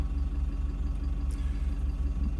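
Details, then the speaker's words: Toyota Land Cruiser Prado 150 with the 3.0 L 1KD-FTV diesel at 25,000 km, idling at full operating temperature. Steady idle with a faint, regular light knock riding on the engine beat, from a failing injector. Fuel contamination is suspected. "hear that knock there's a slight little knock knock knock if you guys can hear it"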